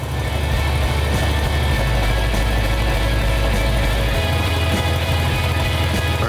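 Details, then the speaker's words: 1971 Dodge Charger R/T 440 Six Pack V8, running under its own power for the first time since 1975. Deep, steady rumble with no knocks or misses. Engine runs well despite fuel line and power steering problems. "it was really good to hear the engine run the engine sounds fine we just got a few little problems"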